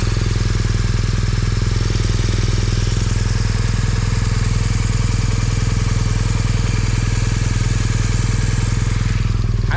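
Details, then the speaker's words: Motorcycle after crash, cracked cylinder head field-repaired with sealant and let dry overnight, no leaks: even, steady firing at constant idle, solid low beat, no knocks or ticks; normal running. "cylinder head sounds good nothing's knocking weird"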